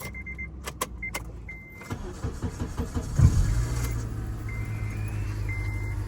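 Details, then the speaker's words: 2006 Acura TSX with 250k miles that died while driving with no crank, fixed after tightening loose battery terminals, cleaning grounds and finding a bad fuse: door chime, a brief quick crank, then a clean catch into a steady, even idle. "We fixed the problem and we finally got power."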